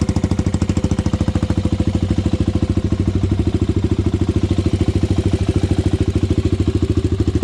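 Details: Honda 400EX ATV single-cylinder, after fixing idle air screw, pilot jet and main jet: even rapid idle beat at a steady pace, no hunting, popping or stalling; idling normally.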